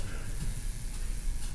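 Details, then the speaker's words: Neon sign with its transformer on: crackling, frying sizzle over a low hum from an electrode arcing inside its housing, amid corona discharge and secondary ground faults. "Okay, so looking inside the can with the transformer on, looks like this electrode is arcing. There's some sort of arcing on this electrode."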